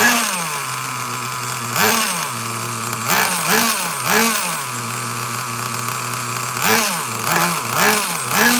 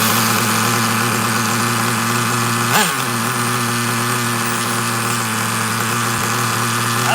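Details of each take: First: Traxxas Nitro Slash nitro engine on the bench with a new glow plug: high-pitched buzzing idle, uneven blips, hesitant pickup on throttle stabs; owner suspects rich running, low-speed screw found not flush, top end lean in the field. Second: Traxxas Nitro Slash nitro engine on the bench, idle checked: a high, steady buzz holding one even pitch without hunting or dying. Idle is about as low as wanted for a Traxxas and sounds fine.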